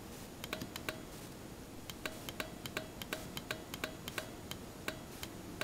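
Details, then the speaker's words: Basic cheap 30 A automotive relay bench-triggered with power and ground on trigger wires, for ECM, ignition and fuel pump wiring: sharp dry clicks in uneven bursts as the spring-loaded lever arm switches contacts; normal healthy relay. "and what that is is just a just a spring-loaded lever arm inside the relay it's a mechanical arm that connects two points"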